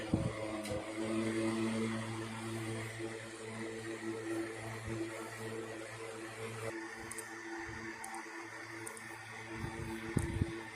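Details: 1960s 16-inch Toastmaster box fan on high, first start in nearly two years after storage, owner thinks it may need cleaning and servicing; steady even motor hum and smooth air rush, no knocks or rubbing, plenty of power: normal running on high speed.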